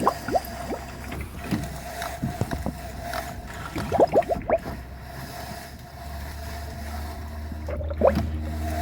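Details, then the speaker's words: 1970-1981 Camaro/Firebird after steering gearbox replacement, engine off, wheels up, wheel cranked lock to lock to bleed: soft irregular gurgles and bubbly pops in bursts; air still trapped in power steering fluid. "You hear the bubbles over there?"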